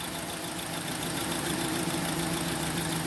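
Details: 2010 Honda Accord 2.4L: rough, lumpy idle with a steady stumble about three times a second; one cylinder dead from low compression.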